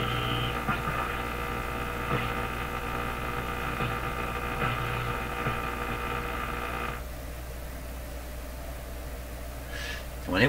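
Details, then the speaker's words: General Electric KL-70 AM/SW radio with a weak 19-metre band (about 15–15.35 MHz): steady tones and hiss while tuning across the band, then the sound suddenly goes dead to faint noise and the magic eye pops open. Owner suspects an oscillation kicking in or out; it returns slowly. "okay so it sounds like it's oscillating up here and listen to this they tune it across it'll be making sounds and then it'll go dead"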